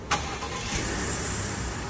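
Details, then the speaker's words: Ford F-150 3.5 EcoBoost, 10-speed, about 90k miles, after updated cam phasers and new valve body: quick crank then even run with faint wastegate rattle on cold start; healthy start, minor wastegate noise. "Beautiful. So, we got a little bit of that wastegate rattle, but if you uh if you own a 35 EcoBoost, you understand what I say. That's just something you got to learn to deal with."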